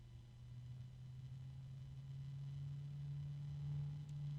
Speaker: there's a bit of a wine there low tone and some harmonics going on there it is